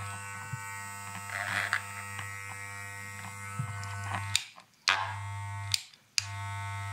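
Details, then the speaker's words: Wahl Super Taper clipper with replaced motor and blade, adjustment screw backed off slightly from loud point until noise disappears: steady low mains-pitch hum, clean even tone, no rattling buzz; normal clipper hum. "kemudian mundur sedikit aja sampai suaranya menghilang. Oke, dan itu cara setting supaya jadi ideal."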